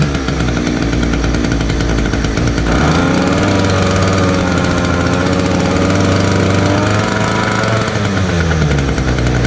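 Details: Titan two-stroke multi-tool, previously hard to start, after new fuel lines, spark plug, fresh fuel and fixing tank venting: catches, runs with steady buzz, revs up and settles smoothly, no missing or stalling.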